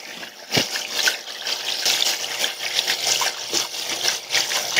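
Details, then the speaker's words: Water draining through an unlagged plastic waste pipe, before applying sound-deadening wrap: constant loud splashing, gurgling hiss carried along horizontal and vertical runs; loud drain pipe noise. "so hopefully you can hear that the it's pretty loud and actually goes all the way along the pipe even though even the horizontals and then the verticals are are quite bad as well"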